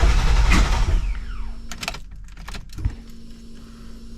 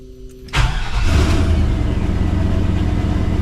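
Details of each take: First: 1986 Chevrolet C20 Suburban with 6.0 LQ4 LS swap, after replacing cam position sensor, code P0343: repeated cranking with stop-start bursts before barely catching, backfiring; hard starting caused by a loose cam gear that walked. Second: 1986 Chevrolet C20 Suburban with 6.0 LQ4 LS swap, after replacing camshaft position sensor (code P0343, hard starting and backfiring): short crank, prompt catch, steady even V8 idle, normal start; exhaust leaks still present.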